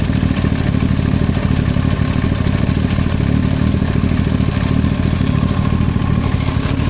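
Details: Yamaha YZF-R1 at steady idle: a fast, light clatter over the exhaust beat, an abnormal knock in the engine head with the cause not yet pinned down.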